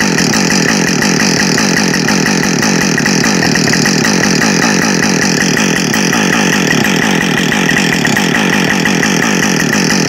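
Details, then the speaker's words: New Husqvarna 562XP Mark II chainsaw, first-ever run, warming up before timed cuts: crisp even high-revving two-stroke buzz, no surging or bogging; normal running, found its tune quickly. "so it seemed to find its tune really quickly um not that the Mark 1 was bad it really wasn't at all it tuned up really nice and quick as well"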